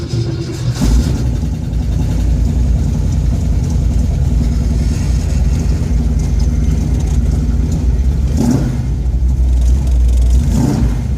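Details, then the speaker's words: Ford F100 with Edelbrock 1405 carburetor after a metering-rod spring change, cold start after sitting two days on a warm day, driving at light throttle: uneven, lumpy note, still missing and stumbling off idle; the change didn't fix it. "well we are on the road and i'm actually disappointed to tell you it hasn't fixed it i don't know if you can hear it but you know it's missing stumbling"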